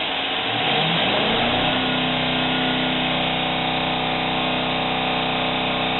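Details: Jeep Cherokee 4G, cold, misfire on cylinder 5 despite cleaned injectors and checked coils and plugs: engine revs and holds with uneven stumbling beat, dead cylinder from seized lifter and worn cam lobe.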